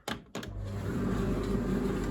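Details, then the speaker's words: Beko DRCS68W 6kg condenser tumble dryer, about 12 years old, running with the detached drum-front seal removed on cottons extra dry with damp towels: clicks, then a smooth steady hum as the drum turns freely with no scraping; normal rotation. "It sounds like it's turning, which makes a big difference to how it was when it wasn't turning."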